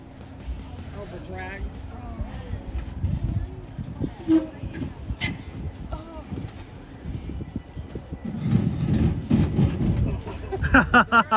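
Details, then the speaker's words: Jeep descending a rock face at an off-road park: amid engine and crunching, a harsh rough drag swells for a couple of seconds as the receiver hitch grinds on rock. "And this is not us, but somebody else in the group. It doesn't look as bad from here, but you'll hear the grinding."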